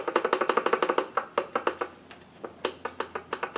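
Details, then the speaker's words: Husqvarna 390 chainsaw, about 3-4 years old, partly disassembled, with no engine running. Loose, uneven metallic clanks about four a second from the bottom end; a bad wrist pin bearing, rod, or crank is suspected, not confirmed. "That has the sound of a bad wrist pin, bearing, possibly, or a bad crank. Alright, we're back on this clanking."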